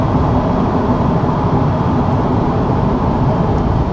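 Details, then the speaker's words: 1995 Ford Crown Victoria LX, under 12,000 miles, engine still slightly cold, highway cruise at about 25% throttle: steady low even drone with soft road and wind noise, no knocks or whines; quiet, healthy. "The engine is still a little bit cold, so I don't want to open it wide open, but you guys get the idea. Even at highway speeds, very quiet."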